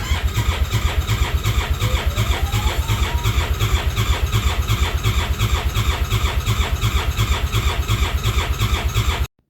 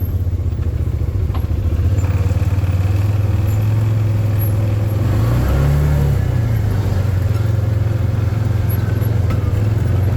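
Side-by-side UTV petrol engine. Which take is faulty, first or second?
first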